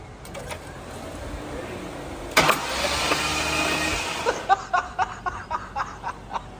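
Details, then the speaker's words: 2004 Mustang Cobra Terminator with a 2020 GT500 supercharger on E85, on the dyno. Starter cranks in a rough burst, then rhythmic spurting pulses as water is ejected. Hydrolocked: water found in only one cylinder. "Yeah, that's a little water in there. Yeah. All right. Well, let's try kicking it over on the starter. See if we can eject the water out, and then a lot of water."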